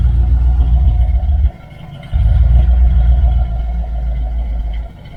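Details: 1978 Dodge Aspen R/T V8 with newly installed, welded, tucked exhaust system: deep, even burble with clean throttle blips and no ticking or puffing leaks; exhaust sounds healthy and sealed.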